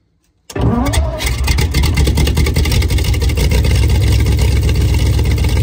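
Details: Alvis Stalwart, first drive in over 30 years, fresh petrol, throttle pedal rigged with twine: brief crank, engine catches at once and holds a strong, steady low rumble with no misses; healthy start.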